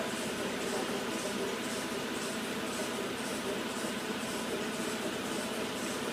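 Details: 2009 Citroën Grand C4 Picasso on a test drive: the engine runs with a rhythmic high chirp repeating about twice a second. The seller claimed it was a temporary belt noise from the car sitting long; the source is unconfirmed.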